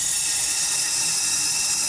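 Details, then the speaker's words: 2003 Porsche 996 Turbo boost leak test, engine off, intake pressurized with both sides plugged: steady high airy hiss as air pours straight through into the intake; both check valves are blown and leaking. "hear it coming through the other side let go so I know both of these check valves are blown in this theory"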